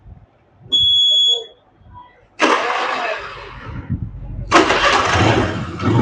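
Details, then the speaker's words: Honda Activa scooter after engine repair and refitting: short beep, starter cranks and engine catches into a steady, even run; starts and runs normally. "તો આપણે એક્ટિવાનું આપણે કામ કર્યું, એ Activa ચાલુ થઈ ગઈ છે. અવાજ તમે સાંભળો."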